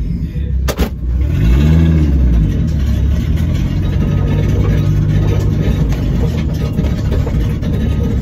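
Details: End-of-life Volvo V70 T5 turbo with a bad engine, catalytic converter just removed: it starts, then a couple of quick revs rise and fall into a loud, deep, open burble because there is no cat in the exhaust.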